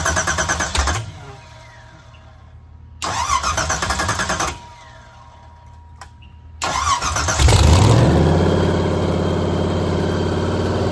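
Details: 363 V8 on an engine test stand before fitting to a Factory Five build, choke getting 12 V. Two short cranking bursts, then it catches on the third try, revs briefly and settles to a smooth, even idle. Over a half-hour run at 1500–2000 rpm, nothing wrong was found.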